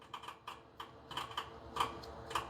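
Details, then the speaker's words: Bobcat zero-turn mower with a no-start fault: sharp, irregular starter solenoid clicks with no cranking as power cuts in and out through a corroded fusible link in the fuse holder. The fix is to replace the link. "Right there is our problem. See how Can y'all hear that solenoid?"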